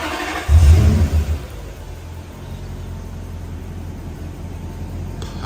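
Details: Toyota Soarer/Lexus SC400 1UZ-FE after a TPS reset: it previously needed throttle to start. Now it starts straight on the key with a short rev, then settles into a smooth, steady idle.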